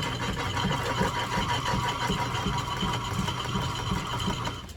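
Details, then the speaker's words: Lineshaft-driven lathe boring a cast iron pulley for an 1870s thickness planer: even belt-driven hum with a light repeating tick about three per second; cut chattering because the old boring bar holder lacked rigidity. "so a bit of change of plans the old fancy boring bar holder didn't quite have the rigidity I needed so I went to the small Armstrong boring bar holder"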